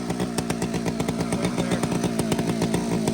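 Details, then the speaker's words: Old chainsaw fitted with round chain sits at a fast, busy steady high-buzz idle with no throttle applied; the low-speed jet is set wrong and needs adjusting down. "Listen to that. He didn't even touch the freaking throttle. Okay, so you know what that is? Low jet."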